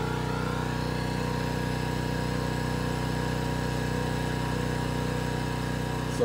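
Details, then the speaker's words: Predator generator running under load; loud, steady constant-pitch drone, no surging or misses. Healthy running. "alright so that is actually quite a bit quieter with that sound barrier according to the meter it doesn't really sound like that big of a difference"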